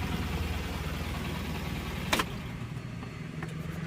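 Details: Tata Nano Twist XT that had starting trouble and a check engine light, after ECM reprogramming: steady, even low hum with no misses or knocks and one brief click, the small petrol engine idling smoothly.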